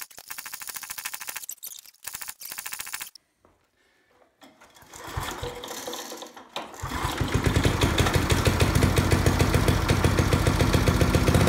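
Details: Old tiller engine after the points and condenser were replaced with a new modern coil. It is pull-started on choke, coughs once, then fires and runs at a quick, steady beat of about 3.5 pops a second. The owner hears clanking up top and will check coil clearance.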